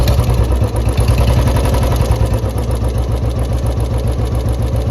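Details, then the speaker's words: 2014 Royal Enfield Bullet BS3 single-cylinder at idle: uneven thump with a faint rapid tik-tik ticking that comes and goes, loud tappet noise; a mechanic was consulted about the tappets. "भाई हो सकता है video में कम capture हो रही हो पर भाई की बुलेट में टपट में आवाज काफी है"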